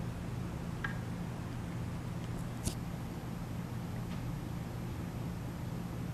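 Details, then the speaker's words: Original 52" NuTone Decorator ceiling fan, about 10 ft up on a 2–3 ft downrod, switched on wall control, believed on low in reverse: soft, steady low hum with no ticks, wobble or scraping; running smoothly. "so I will turn it on now I think it's on low on reverse but here we go"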